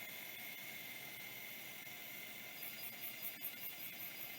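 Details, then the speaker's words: Mailbag hard drive after its actuator end stop was adjusted and a spin-up retry succeeded: a quiet, steady hiss with scattered light ticks as the heads step around. It seeks normally and responds to commands. "all right well will it seek around for us it sure will it thinks nothing's wrong"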